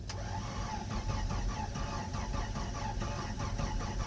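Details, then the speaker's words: Jeep Comanche with automatic and transfer case, towed in with driveline disconnected: starter spins evenly, about five compression beats a second, never fires. "turn it over that's good that's actually pretty amazing"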